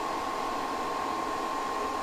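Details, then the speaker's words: Espar D5E hydronic heater in a Sprinter van conversion at start-up: smooth, even blower rush with steady mid-pitched tone, no knocks or surging; putting out heat, running normally. "it's a heater is it putting out heat yes holy cow the system is on"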